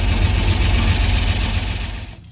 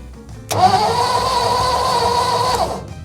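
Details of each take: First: 1955 Ford F-250 sat over 40 years, primed and started, running a minute or two to warm: steady low rumble with even idle beat, no misses or knocks; normal idle. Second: 1955 Ford F-250 restarted after sitting outside over 40 years, spark tester on plug: about two seconds of steady starter whirring, never fires; crank no start, no ignition spark.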